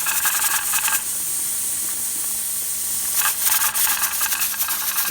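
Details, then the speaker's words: Pressure canner with 10-pound weight: rattling hiss in bursts with quiet gaps as the weight jiggles; canner at pressure and venting normally. "Anyway, I'm going to let it now start to build pressure, and when this thing jiggles, I'll come back and show you what we do next."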